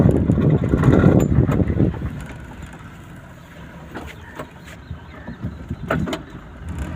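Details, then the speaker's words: Worn front CV axle joint (goda kit) on a car: rapid, heavy clicking knocks over low vehicle rumble while turning; noise also heard both-side turning and driving straight; both CV axle kits to be replaced. "अभी यहाँ से इसको हम टर्न करेंगे तो इसकी बहुत ज़्यादा आवाज़ आ रही"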